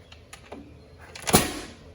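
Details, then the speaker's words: 2002 Yamaha YZ125 two-stroke after a top-end rebuild, first start with fuel, oil and spark confirmed: a few kick-lever clicks, then one sharp loud pop that dies away, a backfire instead of starting. "backfired."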